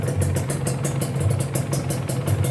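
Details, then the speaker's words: Used Kawasaki Ninja two-stroke motorcycle engine (pre-purchase check), tested on the road: even quick crackling exhaust pulses over a steady low drone, no knocking or rattle; smooth sound means well-maintained engine, block still good; normal running. "Yang jelas ini suaranya halus, kalian udah bisa denger aja dari suaranya. Kalau mesinnya itu kasar berarti ada kendala. Kalau mesinnya halus gini artinya mesin itu terawat, bloknya juga masih bagus gitu."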